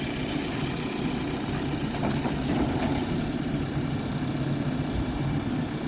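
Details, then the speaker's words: New Holland B95C TC 4x4 tractor loader backhoe, extending hoe, clamshell bucket, about 1,225–1,525 hours, well maintained, started up: steady, even low diesel rumble with no knocks or misses, smooth quiet idle, starts and runs good. "Ken's going to start it up. Starts and runs good."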